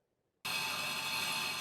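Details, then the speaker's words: Milling cut after tap testing, spindle speed changed to a more stable speed, away from the tool holder–spindle natural frequencies: steady, even cutting hiss with constant high tone, no chatter squeal; a much more stable, quiet cut. "experienced uh obviously a much more stable and quiet cut play one more time"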